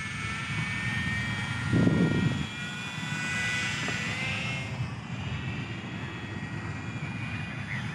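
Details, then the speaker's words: Eachine Mini P-47 RC plane, likely geared brushed motor on a 500 mAh 1S battery, in flight in beginner gyro mode: buzzy, gritty motor whine with a raspy edge; noisy motor, owner unsure if gearing or something inside. "the motor is kind of noisy i think it's a geared motor you guys can probably hear it it's i don't know the gearing is not exactly right or if there's something inside there but it's pretty noisy"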